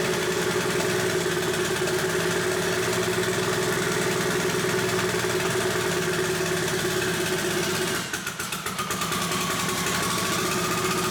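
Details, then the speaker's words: Rebuilt Mitsubishi Evo 8, first startup after reassembly, new tune loaded with Infinity Tuner: uneven, lumpy running that never settles into a clean idle, sounds bad; no leaks, cause not confirmed. "Alright guys, first official startup. Doesn't obviously idle right away. Yeah, it sounds like crap."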